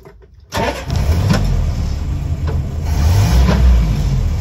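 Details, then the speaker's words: 1981 Land Rover Lightweight, 71,000 miles indicated, cold start: brief crank, catches on the button and settles to a steady even idle with no misfire, hesitancy or overheating; normal cold start. "But yeah, starts on the button. No signs of any misfiring, hesitancy or overheating."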